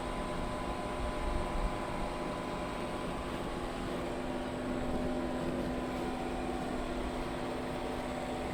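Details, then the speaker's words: Pit Boss Competition Model pellet smoker after a new igniter install, temperature set to 225 degrees: combustion fan blows harder, even whir with no surging, with no error so far where it used to fault. "So I bumped the temperature up to 225 degrees. You can hear the machine reacting to that. The fan is blowing harder."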